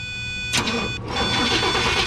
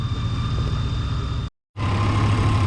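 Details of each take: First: 2004 Chevrolet Tahoe with no fuel pump operation: brief cranking catches within half a second and settles into a steady idle while voltage is supplied to the pump fuse, then dies as that fuse loses voltage; power feed fault being traced. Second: Chevy/GMC V8 SUV (described as both a 2004 Tahoe and a 1994 Yukon) with a crank-no-start complaint, idling with the fuel pump hot-wired and injectors pulsing: a steady, even-firing idle with no misfires, running normally.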